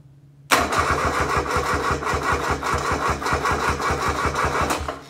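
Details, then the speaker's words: Kubota D600 diesel swapped into a Case 220 hydraulic-drive mower tractor (16.5 hp), already warm, not a full cold start: cranks once, catches immediately, settles into steady, even clatter about four beats a second; healthy start. "this isn't going to be full cold start because accidentally did this video a second ago and it wasn't recording"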